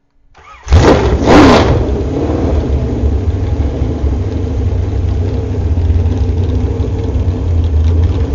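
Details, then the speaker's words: Warmed-up 355 small-block Chevy with a .480-lift cam on open headers, after hydraulic valve adjustment, run outdoors in winter: quick crank and catch, then a deep steady rumble at an even idle with no lifter tick. The valvetrain sounds healthy. "so we're going to start up and so you can hear it sound we warmed it up already with muffers on"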